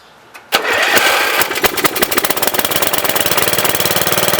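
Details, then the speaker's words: Free MTD Wizard lawn tractor small single-cylinder engine after spark plug change: catches on first pull, settles into quick, fairly even putter about 220 beats a minute; runs really good, though owner suspects clutch or transaxle trouble, shifters loose. "well it runs really good there's something up with the clutch though or the transaxle"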